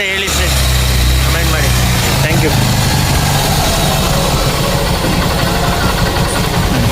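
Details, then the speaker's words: 2006 Honda Shine single-cylinder motorcycle, just started after an engine rebuild with head and bore machined; steady low putter at idle with even beats, no knocking or ticking; engine now smoother, normal idle. "Start ಆಗಿದೆ. Sound ಹೇಗಿದೆ comment ಮಾಡಿ ಹೇಳಿ. ನೋಡಿ sound ಬೆಳಿಗ್ಗೆಗೂ ಈಗೂ nice, engine nice ಯಾಗಿದೆ ಹೇಳಿ, comment ಮಾಡಿ ಹೇಳಿ."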